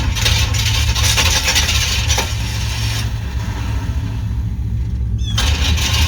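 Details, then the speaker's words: 1995 Chevy C1500 Silverado with a swapped-in worn TBI 350, cranking: harsh, uneven cranking with scraping bursts. The starter grinds, fails to mesh with the flywheel and kicks back, and there is also a no-spark condition. "hey it's trying to start it's just daggum starter and flywheel ain't working together properly"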